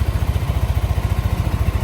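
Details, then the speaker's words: Yamaha NMAX scooter idling after a major service (new block, liner, roller housing) following late oil changes and frequent stalling: steady, even low putter with no knocks or ticks; engine sound back to normal. "Nah untuk suara mesin aman ya sudah normal kembali Ya normal"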